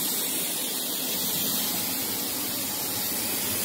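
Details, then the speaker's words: Apartment air conditioner gives a steady airy hiss over a faint low hum; cause unknown, about to be switched off to see if it stops. "and it's audible you can hear the hissing don't know what it is but it's out of it i'm about to turn this off and see if it stops"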